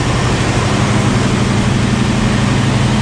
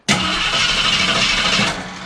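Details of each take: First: 1973 AMC Javelin, neglected and long sitting, after gas poured down the carb; steady, loud low rumble with an even pulse, no misses or knocks, engine caught and idling. Engine idling after start. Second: 1973 AMC Javelin, neglected and long sitting, gas poured down the carb; starter spins under two seconds, never catches or fires. Crank no start; crew believes fuel not being picked up, carb possibly cruddy from sitting.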